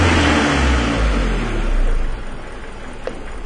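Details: 2000 Ford Escort that dies at red lights, confirmed lean condition: engine revs then sags to an uneven, lumpy idle hunting near stalling while fuel trims correct after the vacuum leak is blocked; leaking hose to be replaced.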